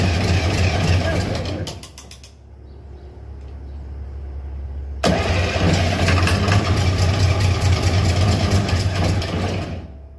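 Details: John Deere 544 wheel loader diesel, all injectors bled except one, cranks in two labored bursts with heavy churn but never fires; owner suspects engine was seized and some valves stuck; slow cranking, no start.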